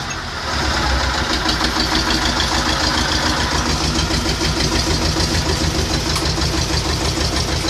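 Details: T-25 tractor diesel after repair: steady, even clatter at constant idle speed, no misses or knocks; engine sounds healthy.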